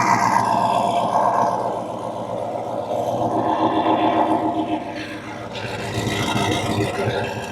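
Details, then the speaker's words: Chevy with Whipple supercharger add-on and intercooler pump: deep even rumble settles after start with a few throttle blips, pulling cleanly; healthy start-up. "Definitely like the way that sounds. Engine. Came out freaking awesome."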